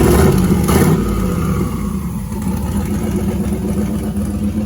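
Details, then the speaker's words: First fire of a turbocharged 5.3 LS V8 swapped into a Dodge Grand Caravan: deep V8 bark while revving with a rising, howling turbo whine on top, no knocks or rattles; running really well, possibly slightly lean in spots. "That turbo absolutely howls. I love it. A van should not sound like this."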